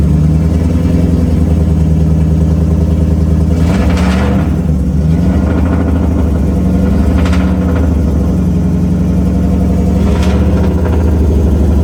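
A deep, even V8 rumble with three smooth blips of the throttle rising and falling cleanly, the engine running healthily.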